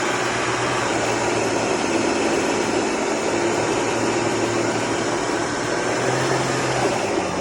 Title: BMW N55 535i XDRIVE ATC 35L TRANSFER CASE GRINDING NOISE INPUT SHAFT BEARING